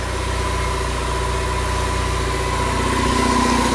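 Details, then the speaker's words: EcoBoost-swapped DeLorean after a remote ECU retune from the UK: steady even idle about 900 rpm, smooth low hum, no knocks or misses; lambda on target, coolant cool, good oil and fuel pressure; normal idle. "She's happy. Lambda's right where it needs to be. We're idling about 900."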